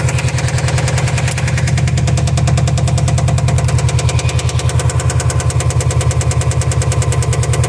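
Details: 2005 Subaru STI, 130k, nearly stock with only a Tial Q blow-off valve: turbo boxer idles with a steady, deep knock about three a second; rod knock suspected, not confirmed.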